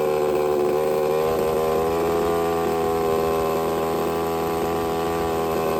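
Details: Used Redcat Rampage XB RC car with Walbro 990 carburetor after needle adjustment, choke removed: buzzy two-stroke note at steady pitch with no misses, stumbles or surging, running smoothly.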